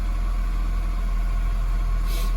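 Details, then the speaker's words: 2002 Acura RSX Type S (K20) with a hunting/surging idle, defective IACV suspected: warmed-up steady low idle hum with no surging, RPM dropping from about 1500–1700 instead of staying high; normal warm idle. "but the RPM is dropping here that RPM dropping that's good but I haven't seen it it hasn't done that yet for us it's always stayed at 1500 or above"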